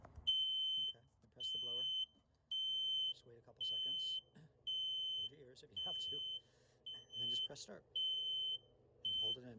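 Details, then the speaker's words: Sailboat diesel at key-on, engine not yet running and in neutral: loud high beeps about once a second from the oil pressure alarm until pressure builds; the normal pre-start warning. "And it also is beeping because the oil pressure is not up to where it should be yet. It takes a second for the engine to get the oil going. So it always beeps like that."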